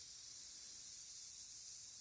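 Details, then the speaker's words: Corroded aluminium flange being repaired by AC TIG welding: soft, steady high hiss after the arc stops as moisture and condensation outgas from the rotten aluminium. "такий шум шипить Тобто виходить волога з алюмінію щоб підняти фланець"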